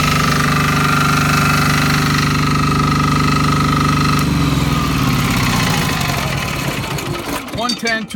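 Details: Fermont MEP-831A 3 kW 60 Hz single-phase 120/240 V military diesel generator, built 2001 and rebuilt top to bottom in 2010, only 2.2 hours, fresh oil and fuel: steady diesel chug and even hum until winding down, healthy, no knocks or misses.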